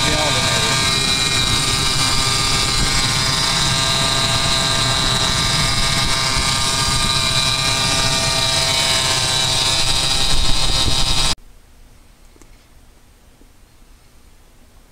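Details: Ford 4.2L six at idle, bearings failing in the belt drive: a steady high whine and rough rushing noise, then near silence while isolating the source; noisy serpentine belt idlers.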